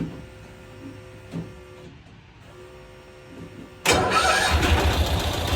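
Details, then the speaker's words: 1992-ish Cushman Truckster with wiring harness cut down to essentials, shut off and restarted: quiet shop, then the small engine fires instantly and holds a quick, even idle without stumbling; normal start and idle. "And Shuts off. shuts right off. Fires right back up. Oh. Fires right back up."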